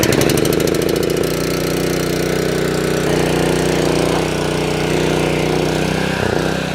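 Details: Honda engine-driven DIY fire water pump, hot day, not run for a week, fuel on, hose kinked for back pressure: catches within a second and settles into a steady, even drone under pump load, no misses or knocking; healthy.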